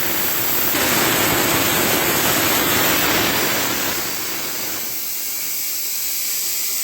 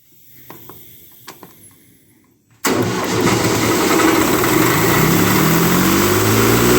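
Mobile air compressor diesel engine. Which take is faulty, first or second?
first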